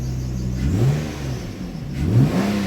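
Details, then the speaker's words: Nissan Maxima after fixing a P0078 exhaust valve control solenoid circuit fault, codes cleared: two clean throttle blips climbing smoothly and returning to an even idle; revs freely now, where before it would not rev up well. "Oh yeah, that's a lot better, because before it wouldn't even rev up that well. That's a lot better."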